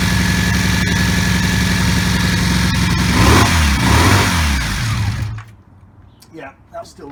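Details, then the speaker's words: 1984 Honda V65 Magna VF1100C barn-find motorcycle with open pipes, first start on fresh petrol: lumpy, uneven idle with a choppy beat and throttle blips, smoke from the back; owner suspects it is running on only two cylinders. "the smoke out the back is not that's because it's running on two so another little job will have to get done but runs"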